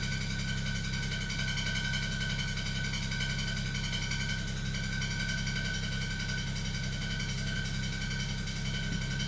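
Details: 2007 BMW E92 335i at steady idle with a loose metallic rattle underneath, first thought to be a transmission rattle; found to be caused by a slightly bent flywheel.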